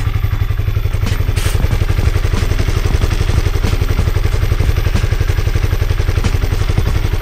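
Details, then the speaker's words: Honda CB150R single after over five months using 100% cooking oil as engine oil: even, steady low thumping idle with no knocks, ticks or rattles; engine sounds smooth and healthy. "Nah itu Mbah suaranya Suara mesinnya setelah lima bulan lebih menggunakan minyak goreng suaranya halus Mbah tetapan suaranya halus dan saya kira masih sehat-sehat saja Bah mesinnya suaranya tetap halus"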